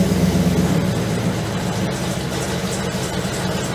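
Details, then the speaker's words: 1956 Chevy truck with a newly installed fuel pump: even low engine idle, and the new pump is much quieter, with no ticking or clatter. Smoke appears later once the engine compartment warms. "hear the fuel pump is much quieter"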